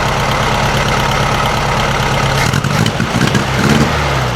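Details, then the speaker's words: 1956 VW Beetle with a 009 distributor, idling then blipped: number 3 cylinder is sparking but not firing. Lumpy idle, and each throttle stab stumbles and bogs instead of revving cleanly; owner says it is choking. Lean hesitation on rev. "And obviously it's still not revving up properly because it's choking."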